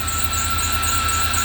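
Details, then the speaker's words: 2006 Range Rover Sport Supercharged started during restoration: steady high squeal over low even idle rumble, a slipping serpentine belt that needs replacing. "Oh, got a belt leak. Hear that belt? That's a belt squeak. That's a belt squeak."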